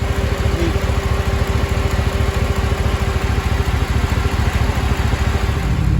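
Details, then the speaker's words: 2005 Cadillac Escalade 6.0 LQ9 idling after lifter replacement and valve job: smooth, even idle with the previous lifter tick gone. A slight exhaust manifold leak remains from broken and missing bolts. "sounds pretty good a lot smoother than it did before i don't hear that lifter anymore"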